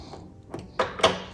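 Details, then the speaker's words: 2016-2020 Kia Optima Hybrid trunk latch: three sharp mechanical clicks as it cycles but never locks, after failing at a car wash; defective latch assembly to be replaced. "Can you hear it clicking? But it's not actually locking."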